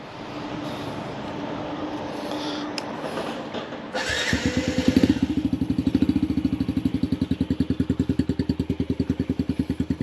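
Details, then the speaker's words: 2019 Yamaha TTR50, warmed up: catches quickly on a bump and settles into steady even thumping idle with no stumbles; normal start and idle. "yeah bike's all warmed up now watch how quick this starts I just quickly bump it watch go fast that starts guys like I said this is a wicked good running bike"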